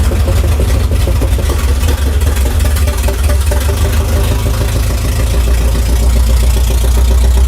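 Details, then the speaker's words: 1968 Dodge Charger V8 rat rod, about 200 hp, fed by gas poured into the carburetor vent because it is not yet drawing fuel from the tank: loud, deep idle with an uneven, lumpy beat that wavers in strength; rough running. "yeah it runs but there's only a couple issues one of which is it sounds like an absolute turd"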